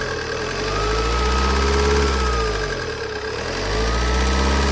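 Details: Opel/Vauxhall Insignia 2.0 CDTI 160 hp diesel at idle: light, regular tapping over the rumble; owner asks whether it is lifter tick, cause not confirmed.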